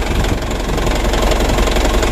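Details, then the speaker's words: Second-hand Mitsubishi Canter diesel truck: rough, clattery knock over the idle, quieter from the right side. Mechanic suspects the injection pump (timer first, then bearing), unconfirmed. "Kalau ada suara kasar seperti ini Kita cari dulu kita dengar baik-baik dari mana sumber suaranya kalau dari sebelah kanan tidak begitu keras suaranya nah menurut saya teman-teman ini sumber suaranya ya dari bospomnya"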